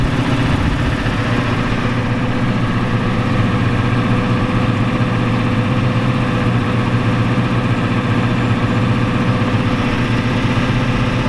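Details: 1993 Ford F-250 7.3L IDI diesel: deep idle with uneven lumpy clatter, smoking heavily; injection pump checked and confirmed out of time, awaiting adjustment.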